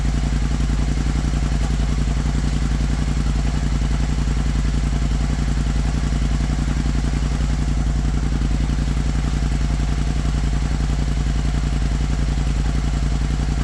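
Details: Kymco CV3 scooter just after fitting a replacement silencer, started and left to warm, gives a steady, even low putter at about two beats a second with no rattle, vibration or misses; normal idle.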